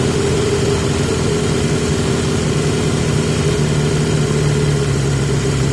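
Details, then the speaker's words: 1980 Yamaha XJ650 four-cylinder, back on the airbox with the filter reseated. Steady, even idle held at a raised speed with no dip or hunt. Still a high idle; the airbox improved it without curing it, and the cause is unknown. "I think fairly undoubtedly it runs better on the box but it's still it's still got an idle problem and going back to the airbox hasn't cured it it's made it better but it hasn't cured it and I don't know why"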